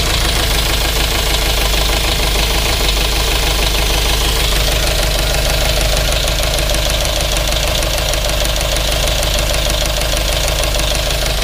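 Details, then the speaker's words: GMC Yukon Denali 6.2L LS V8 idling with the driver-side valve cover off: quick, steady ticking tracking engine speed; no oil comes from the pushrods at the front two and rear rockers, all DOD lifters; lifter tick. "those front two rockers there's no oil coming under the the push rods and the back one is also not pushing any oil out"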